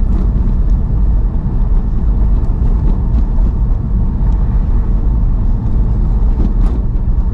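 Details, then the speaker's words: 2002 Porsche 911 (996) C4, about 122,400 miles, after replacing the front control arms (tuning fork and coffin arms): slow drive over a rough street, steady road rumble and no front clunk; definitely improved. "It's definitely improved."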